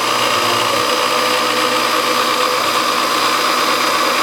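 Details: Milling a scrap brass governor weight bracket with the power feed rate turned down: steady, even cutting whine with constant high hiss, no chatter or squeal; smooth cut at the lower feed.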